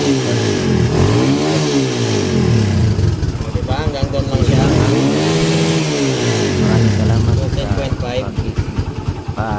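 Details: Kawasaki Barako 175 single-cylinder after rewiring full-wave charger to stator yellow wires: picks up cleanly through repeated revs, settles back evenly, no misses or stumbles; running and charging fine.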